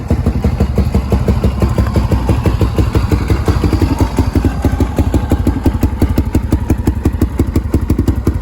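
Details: Restored Polaris Predator 500 ATV, finished after rebuild: steady, even single-cylinder thumping at idle, about three beats a second, no knocks, misses or rattles; normal idle.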